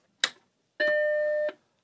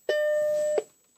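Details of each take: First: Mac Plus after repair in a multi-machine restoration, powered on after sitting a few days: click at power-on then one clean, steady chime about three-quarters of a second; normal startup, no strange noises, works fine. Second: Mac Plus powered on after a suspected bad solder joint was poked with a plastic tool: a thin, steady high-pitched coil whine, likely from the analog board, continues through and after the startup beep while the picture stays normal; cause unknown.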